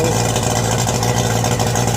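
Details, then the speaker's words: Yamaha 90 hp outboard, first run after rebuild for knocking (three scored pistons replaced, new rings, gaskets, rebuilt carbs, water pump), double oiling: even steady buzz at constant speed, knock gone, running cleanly. "The knocking is now gone. This is the first run of this engine."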